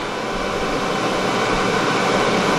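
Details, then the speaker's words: EcoFlow Delta 1300 power station while charging; loud, steady airy whoosh of cooling fans, no rattle or pulsing, normal but unpleasant in a room. "so that's what it sounds like when it's charging it's not you know even you put in a quarter of a room if you're trying to work or something it's not pleasant"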